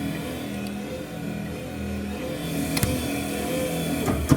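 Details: 1978 VW Bus with a replacement Bug wiper motor on an added bracket, switched from low to high: an even motor hum with light sweep clunks, faster on high; the wiper motor runs smoothly.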